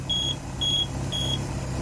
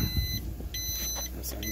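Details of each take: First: Volvo Penta 4.3 GL engine in 2002 Four Winns Horizon 180, idling: temperature sensor wire shorted to ground to test, alarm gives high steady beeps about two per second; alarm circuit working. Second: 2002 Four Winns Horizon 180 with a Volvo Penta 4.3 GL, ignition on and engine off: repeating high beeps about half a second on and off, the normal no-oil-pressure alarm at key-on; the fault was a failed alarm temperature sensor.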